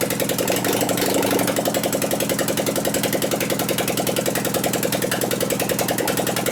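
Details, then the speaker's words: 2001 Gilroy Indian race bike engine, cold, run with no exhaust pipes: an uneven, loping idle with irregular gaps because one cylinder barely fires. The owner suspects ignition on a single-fire setup or the plug wires; the cause is not confirmed. "Sounds like mission. Yeah, >> it actually acts like it wants to hit, but it doesn't."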